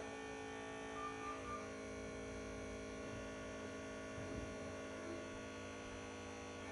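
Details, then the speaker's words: 1996 or 1997 Land Rover Range Rover P38 HSE V8 barn find, first start on fresh battery after long storage: quiet, steady even hum with no misses or knocks; normal smooth idle, purring. "not that be that easy who would have thought it purring like an absolute K now"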